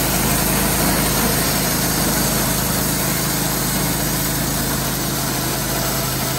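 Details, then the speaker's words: Wood-Mizer LT15/LT40 sawmill running: a steady rumble with a faint dry squeak and vibration on top. A band wheel bearing is in its first stages of failing; when bad, its dust cover comes off. "this is in the first stages of it though it's just got a vibration to it and you can hear like the baron just squeaking like it ain't got no"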